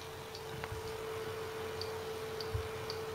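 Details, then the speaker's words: Seagate ST6000DX000 6TB 7200 RPM drive during benchmark while moved; steady whine with scattered seek ticks; loud seeking under vibration, owner suspects drive works harder to keep servo positioning heads on track. "hear that whining noise don't wanna cause the platters to flex anyway this is not abuse in any way very small change in speaking this noise I think it's a way to maintain performance"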